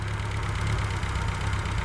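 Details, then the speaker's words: Reliant Fox engine fully off choke, warm, with the fuel and cooling systems now sorted, before setting the ignition timing; smooth, even low idle with a steady beat and no knocks or misses, sounds sweet. Normal idle. "we're entirely off choke now. Sounds sweet."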